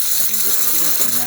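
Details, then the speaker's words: DeLonghi espresso machine after grinder repair: steam wand test, strong steady hiss with low pump hum and faint rattling underneath; steamer delivering good, even pressure. "As you can see, the steamer getting some good pressure."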